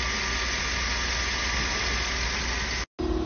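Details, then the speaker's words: 2012 Chevrolet Tahoe petrol engine idling hot after repair: steady, even idle with a smooth low drone and no ticking or tapping; normal healthy engine, oil pressure good. "وهذه الماكينه شغاله 100% ولا صوت ولا شي ما شاء الله"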